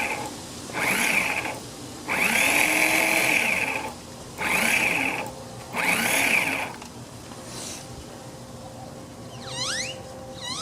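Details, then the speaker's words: Honda HRX217 mower that sat outside for years: four short high-pitched electric whirs with no engine cranking. Starter spins but the pinion won't pop up; owner suspects a worn or missing part giving too little friction. "So I think it's turning fast enough. It's just not enough friction or something for engagement."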